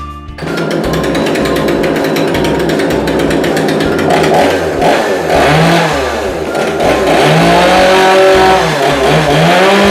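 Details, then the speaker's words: Kanto KT-CS1700 chainsaw, after removing the black air restrictor insert from the air filter: starts easily, then revs up and down cleanly with rising and falling buzz and no bogging; runs healthily. "จะเห็นได้ว่าเครื่องสตาร์ทติดง่ายเร่งแล้วไม่วูบ"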